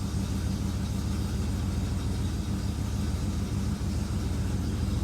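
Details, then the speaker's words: 1967 Plymouth Fury III V8 (383) at its first start in 15 years, after a new fuel pump and oil change, needing a little gas to catch; it settles into a smooth, even low idle rumble with no misses, knocks or ticks. "just had to give her a little gas there this sounds really good"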